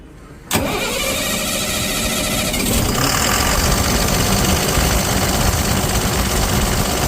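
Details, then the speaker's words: Ashok Leyland BS6 diesel started right after refitting the cleaned Bosch CB 2820 high-pressure fuel pump, removed for an oil leak: catches promptly, spins up and settles to a steady, even idle with no knocking or stumble; normal start and idle. "അങ്ങനെ Ashok ലാലൻ്റെ BS6-ൻ്റെ pump ഫിറ്റാക്കി കഴിഞ്ഞു. ഒന്ന് നമുക്ക് start ചെയ്ത് നോക്കാം."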